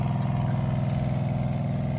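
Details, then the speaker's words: Shurflo 2088 water pump after switching to a more flexible inlet hose and clearing plastic debris from the tank, just primed: steady low hum with quick even pulsing, no rattle, much quieter; normal running. "It's so much quieter though, I can already tell you."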